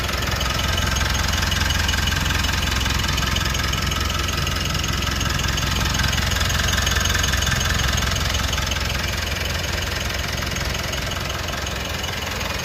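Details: Mitsubishi All New Pajero Sport, 4N15 diesel; steady, even idle clatter with a smooth regular beat and no uneven knocks. Normal diesel idle.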